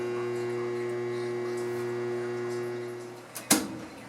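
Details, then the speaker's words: Whirlpool washer that fills, then only buzzes and won't spin, agitate or drain, even after a new motor was installed: a steady electrical buzz with nothing turning, then a click. The motor is now likely not the cause, and the wires feel warm. "it fills and now it started buzzing again that's not good"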